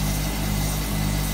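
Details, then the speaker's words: Hotpoint Supermatic De Luxe 9414 twin tub spinner, new belt fitted so it is much faster and smoother: even steady low drone with smooth hum, no knocking or slapping; normal spin. "so much faster now I put the new belt on it"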